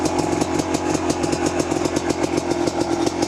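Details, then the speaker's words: Kawasaki KDX250 two-stroke, cold, just kick-started on choke, 38 pilot, BBJ needle position two, 155 main, FMF Gold fatty pipe, 4000-4500 ft elevation: fast, crisp popping, fairly even with small stumbles; idling properly. "idles good now it when it does you guys know two strokes are kind of funny there they're a little weird until they get warmed up good"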